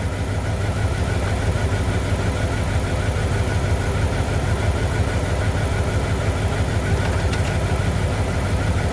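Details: 1998 Dodge Durango single-cam V8 petrol engine, not yet warmed up, idling after timing chain replacement for a P0300 misfire. The idle is steady and even with a soft pulse of about three beats a second and no knocks. A timing light shows timing right on.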